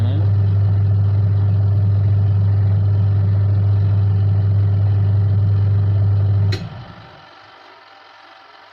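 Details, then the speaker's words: Washing machine motor after repair of fault where it only spun one direction, reassembled and tested both directions; strong steady low hum, no grinding or stutter, clean cut-off; now turns left and right normally. "Ini putar kiri ya, bukan kanan, karena di HP terlihat putar ke kanan tapi dia putarnya ke kiri."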